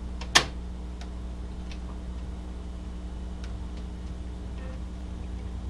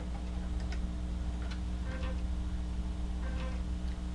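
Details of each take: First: Amiga floppy drive loading a Civilization save disk: steady low drive hum with sparse, sharp head-step ticks about every second; reading normally so far, before a read/write error appears. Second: Amiga floppy drive reading an old bad disk: quiet motor hum with repeated dry clicks and ticking bursts as the head steps back, error reports disk unreadable; owner notes dirty drives often cause this. Read error retries.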